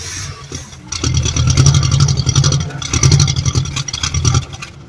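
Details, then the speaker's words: Old motor home Mopar 440 V8: catches in rough, uneven surges that swell and fade, running only on fuel poured into the carburettor; owner suspects bad fuel pump or clogged jet, not confirmed. "Oh either our fuel pump is no good or fuel pump's no good or the Jet's clogged something but she's running making a big old Mass mess with gas sweet"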